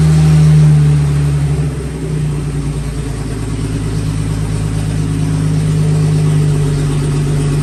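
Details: 1954 Fargo half-ton flathead six, first run after new piston rings and valve adjustment: low, even rumble with a steady beat of about four per second, no knocks or misses, running smoothly. Slight smoke from oil on the manifold.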